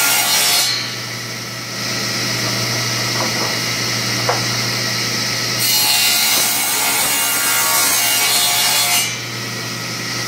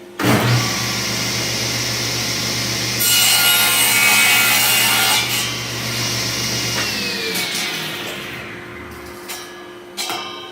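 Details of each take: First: King table saw after bearing repairs and table alignment, ripping a 2x4: harsh rasping drag as the wood rubs the back of the blade teeth, because the fence sits slightly too close at that end. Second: King Cabinet table saw after bearing repairs and table alignment, cutting a piece of 2x4. Motor spins up to a steady whir, blade rips through the wood smoothly and winds down evenly. Normal cutting.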